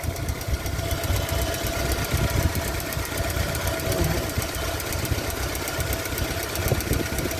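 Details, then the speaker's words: Opel Astra 1.4 petrol at idle: lumpy idle with uneven beats and a stumble; spark plug leads visibly leaking spark, causing misfire, so the leads must be replaced. "Eğer büyük ablamız da bu şekilde kaçak varsa gözle görülür bir kaçak varsa mutlaka buji kablosu değiştirilmelidir"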